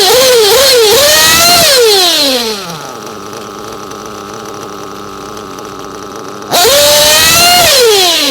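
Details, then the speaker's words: Hot engine already tuned, being set with VP Power Master: a high screaming rev drops to a steady burbling idle, then snaps back up with no hesitation and a little smoke. The top end is set, and this is a correctly tuned bottom end. "see on the bottom end it blew a little bit of smoke and that's what I want if I do it see when I did it immediately I had no hesitation it just went up there quick that's the kind of bottom end that I'm wanting"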